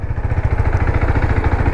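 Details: KTM RC 390 single-cylinder after garage work (timing chain, clutch cover, magneto cover, head and bore gaskets, seal replaced) to fix engine noise, warmed up: quick, even thumping at steady idle with no ticking or knocking; now idles cleanly, though a coolant leak remains.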